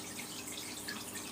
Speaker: I just give it another Shake make sure yeah so we still got a bit bit more air in